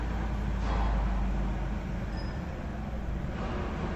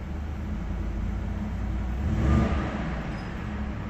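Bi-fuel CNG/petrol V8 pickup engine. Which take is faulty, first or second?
first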